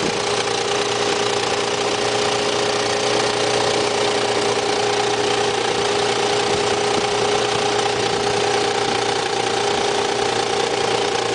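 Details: Nissan Z engine idling with a steady whirring whine and rough rattle from the belt drive, which turned out to be a bad idler pulley.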